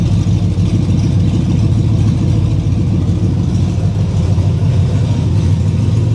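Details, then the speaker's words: Ranger just after an engine rebuild, running about 10 minutes with over 75 psi oil pressure on open headers. A deep, even idle with a steady low rumble; the owner wonders about slight lifter noise. Sounds healthy. "doesn't sound too loud for open"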